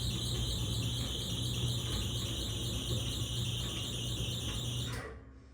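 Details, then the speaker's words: Whirlpool/Maytag Bravos dryer running: steady, piercing high squeal that dies with the motor; lint built up in the blower housing, quiet after cleaning it out. "Now, the issue was basically too much lint has built up into the blower housing. So, that's what the issue was with this dryer."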